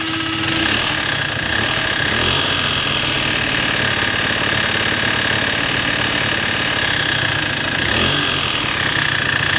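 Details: Peugeot Elyseo 50 two-stroke scooter on its first run after a new cylinder was fitted. A fast, raspy ticking knock rides over a high drone at steady revs; the owner then checks the variator cover, and the cause is uncertain (variator or crankshaft suspected).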